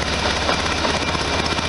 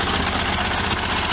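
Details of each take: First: 1973 VW Super Beetle, warm-up after exhaust gasket modifications with sealant. A steady, loud idle with a sharp raspy puff on every firing pulse from one side: exhaust leak at the header gasket, left side. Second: 1973 VW Super Beetle flat-four, warmed up after a short drive, following exhaust gasket modifications: steady, even idle with consistent chatter and no misses or knocks. Runs smoothly.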